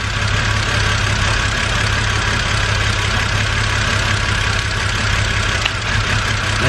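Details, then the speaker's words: BMW N52 petrol engine misfiring at idle, diagnosed by unplugging ignition coils one at a time: a low, slightly uneven hum with a brief tone change as a coil is disconnected; RPM rises again when it is reconnected, but it still misfires. "and then when we put that back in, the RPM rises again, but it's still misfiring."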